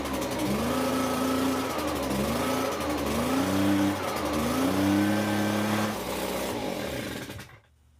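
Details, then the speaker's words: Echo PB265LN two-stroke leaf blower after coil swap, non-adjustable carburetor cleaned: clean buzz rising and falling with throttle blips, then shuts off; runs fine. "I'm just gonna go around and blow with it let it clear out and everything but it sounds like it's running fine now there's no problems with it pretty simple job"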